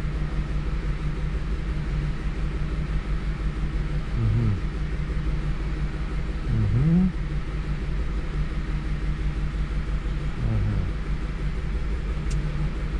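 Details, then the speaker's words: 2007 Lincoln Navigator at a rough, loping idle with occasional stumbles. The mechanic estimates about 2 cylinders dead and injector spray poor, pending a motor-tester check; notes cite a stretched timing chain with the computer cutting 4 cylinders, late valve timing, worn plugs. "2 цилиндр жасамай тұр, шамамен. Оны енді мотор тестер анықтайды."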